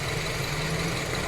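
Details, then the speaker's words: 2008 Honda CR-V that stalls, starts hard and shakes: low, slightly uneven idle with faint stumbling while ignition coils are unplugged one at a time; fuel pump and battery checked okay, and two ignition coils found busted. "tinanggal ko Ayan nanginginig namamatay So okay pa ito pati ito ung pinakahuli yan nanginginig namamatay"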